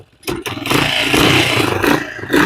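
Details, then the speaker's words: 1980 Yamaha XT500 single after winter storage, first run in a long time, still cold, mic moved closer: thumps along and picks up cleanly on throttle blips, a little ragged from the cold but healthy; normal cold running. "So I moved closer. Yeah, it's running. Sounds good."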